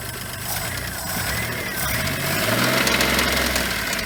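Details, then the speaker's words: Geo Metro small engine at rough idle: sharp knock about four times a second, not noticed at earlier start-up, possibly masked by squealing; bad rod / rod knock suspected, not confirmed. "Yeah, it's knocking down, huh? Fuck, man. Why wasn't I doing that before? The rod knock."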